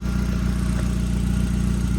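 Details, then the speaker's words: 2006 Nissan Sentra at idle, before repair: loud, deep exhaust note with a fast, regular puffing chuff from gas escaping at a leaking flex (expansion) joint. "06 Nissan Sentra Central I have Muffler over exhaust leak so this is I found some leak coming from here [Music] expansions you can call the expansion joint here this is the sound before the world before the repair"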